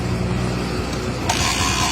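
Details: Freshly rebuilt Honda TMX single-cylinder motorcycle engine just after start: light, quick ticking rattles over an uneven idle, from the cam follower.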